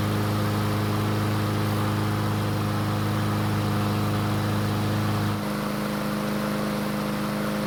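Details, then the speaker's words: Troy-Bilt mower test start after winter storage: small single runs with a smooth, even beat and steady pitch, settling slightly lower; runs normally, though it started burning some oil after about 20 seconds. "luckily the engine started and ran just like it's supposed to"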